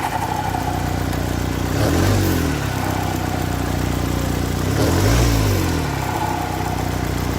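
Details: Ford Kuga 2.0 TDCi diesel near idle with two brief blips: a faint hooting whine rides over the engine; worn turbocharger thrust bearing.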